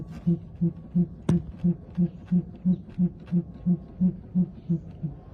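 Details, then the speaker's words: Aftermarket OE-style replacement shock with barely 5,000 miles, removed from a Honda and pumped by hand: short, low hooting squeaks about three a second when compressed from the top, with pulsing vibration; suspected fault between shock stem and internal valving. "Right when you compress it from the top, or when I start moving, you hear the squeaking."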